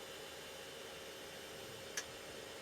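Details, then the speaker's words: Mid-1990s PC with Intel Celeron 266 MHz, AOL software initializing the modem with no phone line connected: one sharp, crisp click over quiet hiss, modem relay engaging during initialization, normal. "just heard it click but unfortunately I don't have it connected to a phone line so it's not going to work"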